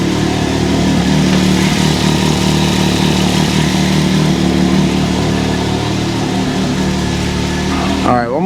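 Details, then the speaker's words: 2023 Can-Am Maverick X3 DS Turbo (135 hp), first oil change, idling after a rattly start-up following the oil refill: even, steady idle with a smooth low beat and no rattle; engine settled and runs cleanly. "ay well that definitely evened out but I did not like the sound of that that was weird"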